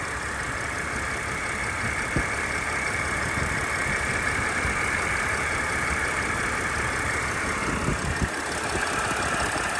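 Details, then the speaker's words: 2007 Dodge Sprinter 3.0 diesel at idle with white smoke: faint dry whirring hiss from the belt end over the steady idle; the pulley bearings are bad and dry. "we can definitely hear the pulleys they're just bad they're as dry as everything"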